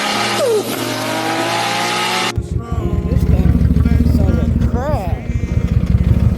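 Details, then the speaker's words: Ford Mustang with Coyote engine, serious engine problem: uneven, lumpy idle with irregular thumps and choppy exhaust; scan shows 19 PCM codes, misfires on every cylinder plus camshaft position sensor bank 2 sensor A and B codes. "Okay, every cylinder is misfiring. Every one."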